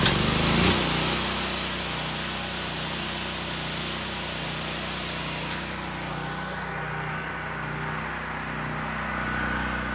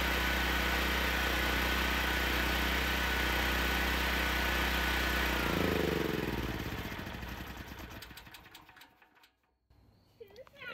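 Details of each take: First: Generac GP6500 generator with the COSense module disconnected after starts-but-won't-stay-running trouble: smooth, even drone at steady speed with no surging or dropouts; runs fine now, but the switch can't stop it. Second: Generac GB6500 generator with COSense starts, runs steady at even speed for several seconds, then a light flashes about three times and it winds down and quits by itself; engine starts then shuts down.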